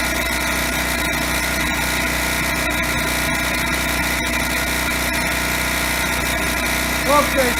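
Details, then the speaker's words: TroyBilt (Briggs & Stratton) generator with 10 hp Briggs & Stratton engine, after DIY carburetor cleaning, running about 10 minutes unloaded without shutting off: steady, even buzz at constant speed, no surging or stalling; still needs a new spark plug. "it's been running about 10 minutes, hasn't shut off."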